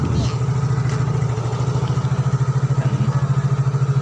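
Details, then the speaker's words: Yamaha X-Ride 125 scooter after a sudden total shutdown, now idling evenly with a steady low putter and no misses or knocks after a starter start; fault was only a blown fuse, now replaced. "Alhamdulillah nyala kita coba starter e Hai dan langsung nyala ya bener ya berarti teman-teman ini fix hanya sekringnya saja yang putus seperti itu ya"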